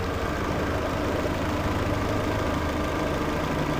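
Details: 2012 Peugeot 408 on lift, after replacing the cover that caused a timing-belt-like engine noise: even, steady low hum with no tapping or rattle; idles smoothly and quietly.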